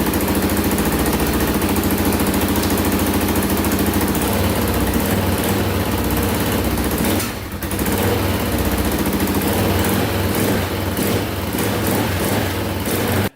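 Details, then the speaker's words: Can-Am DS650 quad single after carburetor cleaning and rebuild, idle adjusted up: steady, even single-cylinder thump at settled idle, no misses, surging or knocks for over ten seconds; normal idle. "our carburetor is fixed oh it was pretty good i actually had to adjust the idle up we do have some um room to play now so that's good"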